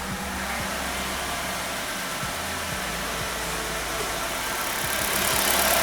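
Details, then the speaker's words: 2013 Nissan Qashqai, 1.6 engine, JF015 CVT at 90,000 km, after repair of a noisy CVT. Idling in Drive with the brake off, the engine ticks over evenly. No whine, grind or clunk from the gearbox, just a steady hum; the original noise is gone. "звука постороннего нет"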